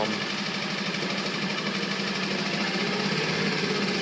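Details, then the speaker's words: Coleman 5hp outboard made April 2012, bought used, idle speed adjusted and choke/throttle cable clip removed; steady even low buzz with smooth high rasp, no knocks or stumbles: good idle at lowest throttle setting. "but when I drop it down it gives me a good idle the way I've adjusted it"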